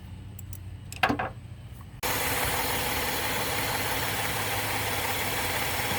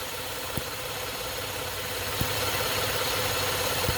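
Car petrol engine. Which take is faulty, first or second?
second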